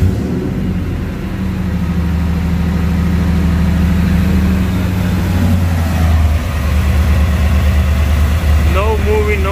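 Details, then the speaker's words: Ford SVT Lightning V8 after melted plugs 4 and 5 and swapping injector 8 for misfires and lost power: steady, even low idle rumble with no shake, stumble or smoke; runs healthy, misfires gone. "it's just out it doesn't shake [Music] no smoke sounds good sounds healthy"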